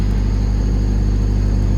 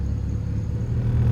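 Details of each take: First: 1995 Honda Civic coupe after replacing the idle air control valve, first cold start with the check engine light on: a steady, deep, fast idle. Presumed normal cold high idle; it did settle back to a normal idle once warmed up. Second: 1995 Honda Civic coupe, warm, after replacing the idle air control valve: smooth, even idle around 1000 rpm with no dips, stutter or dying. The check engine light is still on.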